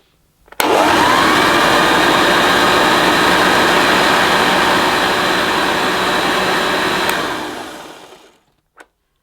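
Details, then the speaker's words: 1976 Hoover Junior Dirtsearcher upright vacuum, new in box, first switch-on; motor spins up to a steady even whirr with the brush beating smoothly, then winds down cleanly; rubber still needs warming up. "That seems better. It'll take a while for the rubber to warm up a bit, but hopefully it's actually going to work now."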